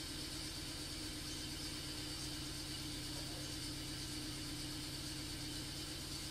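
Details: Toyota Altis with hesitation and rough idle. Earlier only one of its four ignition coils was replaced, and weeks or months later the problem returned. Quiet idle with an uneven, loping beat that dips now and then; one cylinder is misfiring, consistent with a failing coil.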